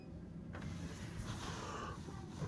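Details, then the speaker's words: Whirlpool Duet Sport washer after drain cleanout and drain pump replacement, draining: steady low hum with water rushing through, no grinding or rattle; drain pump now running smoothly and emptying normally. "Cel out drain and spin sounds so much better what do you guys think"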